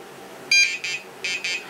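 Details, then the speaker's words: XGuard RC XGlow Pro nitro glow ignitor with the igniter off the glow plug, so the circuit isn't completed. One long high beep, then two pairs of short beeps warn of a fault between the glow plug or the ground. "if you hear that sound at any point in time um while you're trying to start your motor you know there's an issue whether it's between the glow pug glow plug sorry or the ground"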